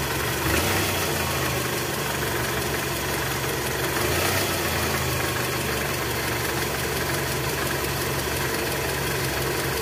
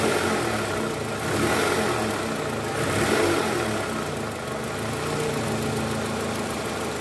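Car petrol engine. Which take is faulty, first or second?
first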